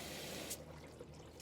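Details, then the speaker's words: LG washer water inlet valve bench-tested with power applied: a strong, steady rush of water with no sputtering or hammering, shutting off when power is removed. The valve opens fully and flows normally. "that's a good valve that one is good functioning let's check the other one that's pretty good as well you can hear the force of the water"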